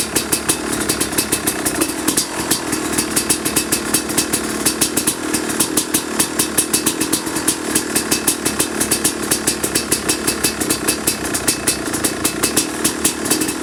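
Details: 2005 Kawasaki KX250 two-stroke, first fire-up after rebuild for low compression (piston shot, plating questionable, crank play): crisp even popping at idle with quick blips rising and falling cleanly; healthy and strong.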